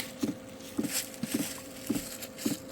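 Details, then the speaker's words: LF Bros 5 kW diesel heater at 14°C, running off a Jackery portable power station, in its start-up priming phase before glow-plug ignition. Sharp, even clicks about twice a second over a steady fan hum; normal dosing fuel pump ticking at startup. "hear that injector injecting okay now that number's going up"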